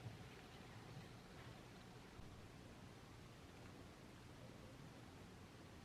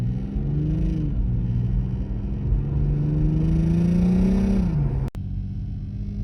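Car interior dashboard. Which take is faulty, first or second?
second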